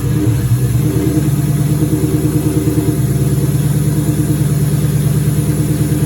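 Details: 2003 turbo Mustang Cobra V8 idling after reinstall with new valve cover gaskets, about 55 psi return-style fuel, intercooler cold-side pipe disconnected: deep even burble, regular firing, no knocks or misses; normal idle.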